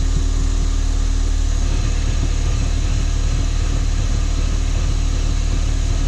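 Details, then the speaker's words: Crashed Ford Fiesta ST on axle stands, run in gear to check the gearbox and diff after driveshaft damage; even low drone, rusty discs whirring, no clunks, grinding or whine; normal drivetrain running in gear. "Sounds fine. Wheels turning alright. Rusty discs, I can hear them whirring away. Everything else sounds fine."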